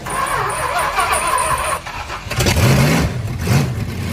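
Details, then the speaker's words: Freshly tuned 440 big-block V8 with Thermo Quad carburetor, after smoking earlier: catches quickly and blips twice, pitch sweeping up cleanly and settling back evenly; healthy, crisp-running engine. "That is the sound of victory."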